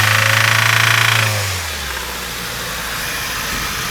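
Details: Honda Fit with the L13A engine: revs fall from a blip to idle while a steady knock of about four beats a second continues over the idle; engine knock.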